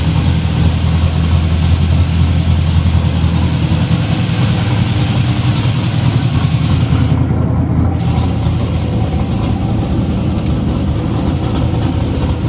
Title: LS454 Rough Idle